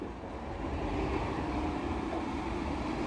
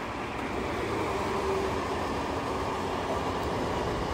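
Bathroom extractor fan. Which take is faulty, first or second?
first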